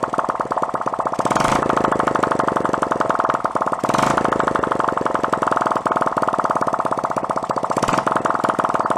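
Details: 1972 Honda CT70 Trail 70, stored 20+ years, carb cleaned: crisp rapid even firing pulses from open exhaust at steady idle; runs cleanly.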